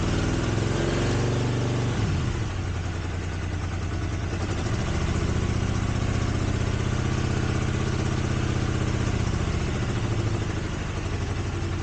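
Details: 1983 Honda GL650 V-twin, parts bike left outdoors 30+ years, first start after carb cleaning, on choke: low, smooth idle that rises slightly and settles, no knocks, ticks or misfires; starts right up, clear exhaust, no smoke; sounds like a good engine.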